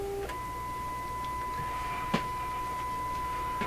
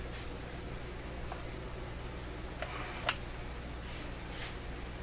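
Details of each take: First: Stewart Warner R146 radio with a test signal injected during an IF transformer repair: a clean, steady tone near 1 kHz over quiet hiss comes through the speaker. A broken wire inside the IF can is suspected. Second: Stewart Warner R146 radio under IF transformer repair, run at too high voltage; faint, irregular ticks over steady low mains hum from a panel meter needle going off scale and banging its upper end stop.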